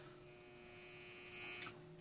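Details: Grid-tie inverter fed by micro wind turbines, in service two years without problems: faint, steady electrical hum with a constant pitch and no buzzing, crackle or surging; sounds healthy.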